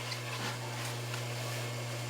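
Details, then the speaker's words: Hot tub circulation pump airlocked after power-up during heater/GFCI breaker-trip diagnosis: steady hollow motor hum with no water churning, distinct sound of the pump not moving water; airlocked pump running dry, unplugging to let air settle didn't clear it. "has a very distinct sound to it when it's not moving water"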